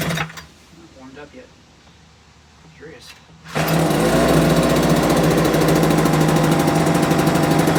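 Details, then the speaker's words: Homelite UT08572 small two-stroke: buzzing at slow, slightly uneven idle sounding ready to die; idle speed set too low, later died on its own, owner to adjust idle. "Actually like the idle's a little bit too low."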